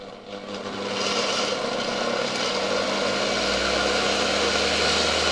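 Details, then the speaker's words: 1970 Zelmer 01 vacuum cleaner with an East German Suhl type 1004.2/5 motor, run from a voltage regulator at slightly above 24 V: steady high whine with a dry, rough rushing hiss; something rubs and the bearings are badly worn, though the windings work. "Wydaje się, że silnik działa. Aczkolwiek te łożyska są już bardzo, bardzo zużyte."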